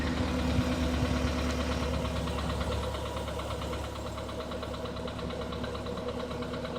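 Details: Skoda Rapid 1.6 CFNA engine just after start, knock has gotten worse; steady idle with light regular metallic tapping about four per second; engine knock on startup.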